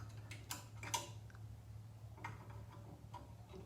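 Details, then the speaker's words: Nitro Ground Shaker pinball, in storage since about 1981, first power-up after a CPU replacement only, not set to free play. A few sharp separate clicks over a low hum as it credits up; credit switches working. "that sounded like a credit to me so the credit switches are working"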